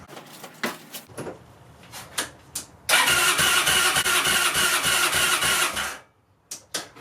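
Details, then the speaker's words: 2002 Yamaha Breeze 125 quad, first start after engine rebuild for a bent valve, with starter fluid sprayed in the intake: starter spins engine about three beats per second but it never fires; spark, fuel and valve clearance to be checked. "so what I think I might do is take out the spark plug and see if there's any spark cuz it's not firing at all"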